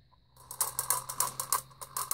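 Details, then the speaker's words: Vintage Vulcan Autosonic Mk. 30-A (VA-M-30FT) mechanical windup heat detector bell: reset plunger won't stay pushed in, so it keeps setting itself off; rapid metallic ratcheting clicks about four per second continue after reset. "this one has a problem where this thing won't stay pushed in so continually sets itself off why I can't have it"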